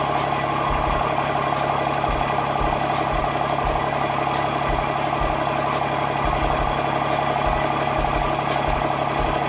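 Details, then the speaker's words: Diesel truck on first startup after fitting compound turbos, during a coolant-fitting leak check, small exhaust opening sealed with 5-inch pipe: steady, even, quiet idle clatter with no knocks or misses, quieter than before. "I say baby it's really quiet it sounds good definitely sounds a little quieter than then the second tennis 467"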